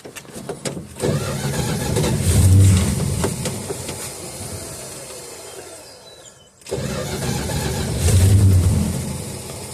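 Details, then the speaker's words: 1969 Dodge Dart left sitting six months on old 10% ethanol gas, battery just connected, given spurts of throttle: catches and runs roughly with uneven revving, sags and dies within seconds, refires and fades again; fuel starvation, accelerator pump not squirting. "Yeah, I think we're running into the same problem. Not enough fuel."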